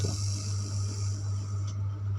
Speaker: Namun untuk bagian tengahnya, suara crossover ini terdengar seperti ini karena menggunakan Bluetooth. Jika saya mencolokkannya langsung ke ponsel saya, suaranya bersih, tidak ada suara berderak seperti ini.